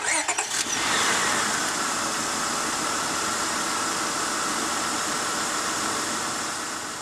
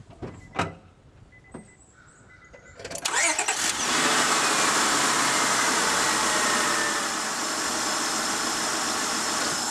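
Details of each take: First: Honda Odyssey V6 with the known bad ignition coil pack refitted for comparison: cranks, catches and settles into an uneven, stumbling idle; misfire from the failed coil pack. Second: Honda Odyssey with a random misfire after a bad coil pack was replaced with a good one: a few cranking clicks, then a fairly steady, even idle with only a faint unevenness; the owner still sees slight flicker and is unsure it is fully smooth.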